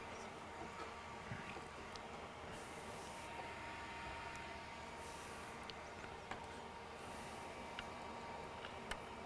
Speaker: So what I'm hearing is the exhaust from the fume extractor being deflected off of the counter where it is now. So that's the noise I'm hearing.